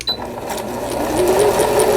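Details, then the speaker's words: Singer Computer 9780, a Japanese-domestic machine used about 10 years, repaired after it went stiff with a pulley that wouldn't turn (needle-damaged bobbin case, misangled hook race): motor hum rising to steady, even stitching at slow speed, thread tension even, repair successful. "속도를 슬로우에 맞춰서 천천히 아래실 위실 장력 아주 고르게 나옵니다. 수리가 잘 됐네요."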